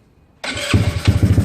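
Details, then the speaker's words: GY6 scooter after handlebar controller setup, cold start on manual choke, possibly low on fuel; silence, quick crank, then the single catches into a quick even putter, clean start. "So everything's fired up. So I'm going to take off the manual choke. It dies right away because it still needs that combustion."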